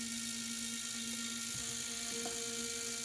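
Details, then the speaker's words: HO scale AHM Rivarossi Cab Forward locomotive gearbox after a thrust-washer fix: steady high buzzing whir at full voltage, no knocks; runs smoothly. "Well, how about 24 volts? If 18 volts isn't good enough, there's 25 volts right there."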